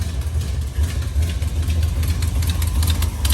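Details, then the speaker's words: Truck's carbureted V8 just started for the first time: a deep, uneven idle rumble with a faint puffing tick from a known exhaust leak; valve covers also leak. "We got some leaks to fix, which I knew about it, but I haven't really got to hear it run. Got an exhaust leak over there."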